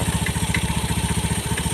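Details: Fuel-injected single-cylinder motorcycle that stalled with codes 7 (EOT) and 52 (CKP), after repairing the EOT 5V signal wire, replacing the CKP sensor and cleaning the crankcase: even thumping about ten beats a second, no misfires; healthy idle.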